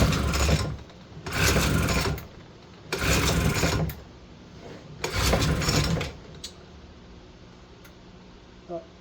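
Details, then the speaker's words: Vintage Aquascooter AS-500 50cc carburetted two-stroke, sat 10 years, fuel leak, estimated ~90 psi compression: four pull-start pulls turn it over but it never catches, fuel spitting out; flooded, no start. "I can feel fuel spitting out of there doesn't want to start"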